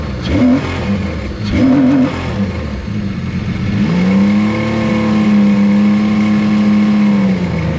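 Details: 155hp Seadoo jetski engine in a converted sail boat, running after the fuel pump finally primed, which the owner suspects still needs replacing. A couple of short blips, then a steady even rev with no stumbling; normal running.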